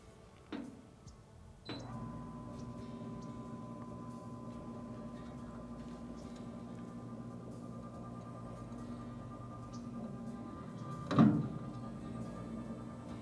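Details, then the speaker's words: Nexgrill Oakford 1000 pellet grill after replacing a bad-out-of-box auger motor with an aftermarket one, priming at 400 setting: quiet, steady electric hum with light clicks at start, auger turning evenly and feeding pellets without straining. "yes broke through those pellets without any issues I think we got it"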